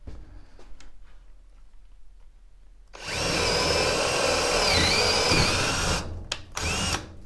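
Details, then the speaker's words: Hart HPDD02 cordless drill on speed two at highest torque setting boring through a 2x4: quiet, then a steady high whir for about three seconds with no bogging or strain; working normally. "so you can see it went through that 2x4 like butter no problem"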